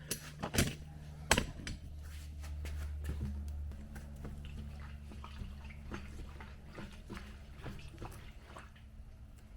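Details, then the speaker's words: Lowered BMW 7 Series that shakes at 50 mph and is loud from the front end when turning: irregular watery sloshing as the wheel is moved with nothing running; water trapped inside the tire, believed to be causing the shake. "I don't know if you hear that, but that's water sloshing around in there."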